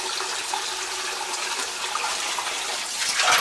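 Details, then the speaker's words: Old farmhouse hydronic heating zone refilled after cutting out a frozen pipe section, purged backwards through the return: steady hissing gush with bubbling as trapped air pushes out the purge hose into a water bucket. "Stick it right in the water. We can hear it bubbling. That one's good. You can hear the air going in there."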